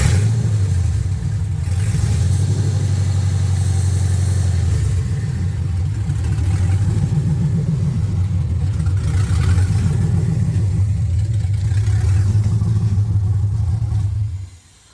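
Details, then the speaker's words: 1979 Camaro LS-swapped V8, restarted after reading and clearing codes, 158 degrees, no exhaust pipe yet: steady strong idle with a couple of clean blips, even beat until shut-off; healthy, throttle body blade screw still needs slight adjustment. "There we go. Perfecto now. I need to turn the throttle body blade screw back up a little, but that's it."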